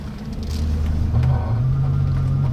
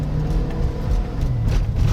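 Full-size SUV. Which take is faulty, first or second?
first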